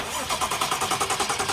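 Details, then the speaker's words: 2011 BMW E92 335i cranking for the first time after the dead original starter, which would not even click, was replaced: quick, strong, even cranking pulses; the starter turns the engine over normally. "So what you see here is the very first time the car is cranking. And once I heard this sound, I was very relieved."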